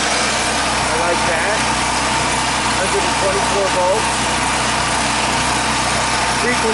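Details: Previously seized free Champion 3500 W generator after flywheel replacement, running with power meter and grinder plugged in: constant engine drone at fixed speed, no surging, misfires or clatter; running steadily.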